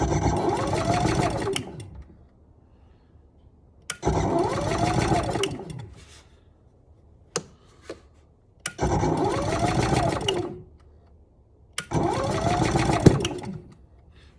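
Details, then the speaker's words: Emergency gas generator unused for three years, being serviced: after waiting about 20 minutes for gas to reach the carb, repeated crank bursts of about 1.5 seconds with sharp backfire pops between them, never catches; hard starting, no start. "turn this back on we'll keep doing this until she starts i guess it could be a long video well she's going to start here pretty soon a bit of a"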